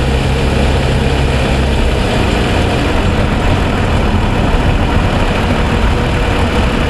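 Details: 2007 Toyota Sienna, fully warmed after about 45 minutes of driving: deep, steady idle with an even, smooth rumble and no obvious ticking, quieter than its cold-start ticking (suspected piston slap, under powertrain warranty); normal warm idle.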